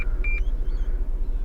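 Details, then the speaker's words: Holden VE Commodore Executive police spec, 140,000 km, in limp mode with electrical problems and a flat battery: a short high dash warning beep, about a fifth of a second, over low engine rumble, with display showing "mechanism error," cause unknown. "now it's beeping at me. What did it say? Mechanism error."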